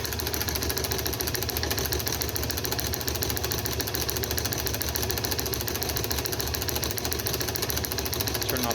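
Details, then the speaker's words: Wico XH magneto off a John Deere two-cylinder tractor, spinning on a magneto tester with a spark gap, impulse clicking audible. Rapid, even snapping, about 3–4 crisp sparks a second with no skips; strong, normal spark. "hopefully we should see a nice blue spark right there and right there and like i said earlier you you may not be able to see it but you should for sure be able to hear it there you go that's good"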